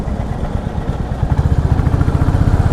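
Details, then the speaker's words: Royal Enfield Classic 350 riding after service centre adjusted tappets to cure a tik-tik valve noise, tried in first, second and fourth gear: steady low single-cylinder thump with no ticking; valve train now quiet and smooth. "कोई टिक टिक का कोई sound नहीं आ रहा है। एक टिक टिक और kit kit का एक साउंड आता था बाइक में, वो अभी नहीं आ रहा। अभी काफ़ी स्मूथ चल रही बाइक।"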